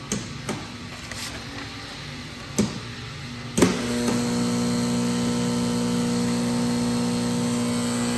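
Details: Dynapower 8000 A, 12 V water-cooled rectifier (SD22-0100802-GKLX-6XXX, 96 kW), fed 220 V three-phase and switched on. A few switching clicks, then a steady, even hum with no buzz or crackle; normal running hum.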